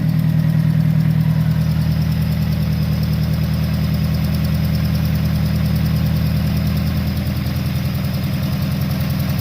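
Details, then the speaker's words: RX-7 with SR20VET swap, idling in neutral after letting go near 7,500 rpm redline: lumpy idle with an uneven stumble about three times a second, heavy low thump; missing cylinder alongside rod knock, engine blown. "Huh. I don't know when I lost you, but you can clearly hear it has a missing cylinder"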